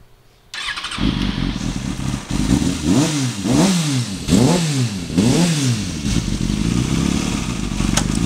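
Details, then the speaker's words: 2005 Kawasaki Ninja ZX6R (ZX636) with an aftermarket slip-on exhaust. It fires cleanly, blips crisply, then settles into an even idle. The motor sounds good and the exhaust clean: normal running. "The motor itself sounds good. Exhaust sounds nice."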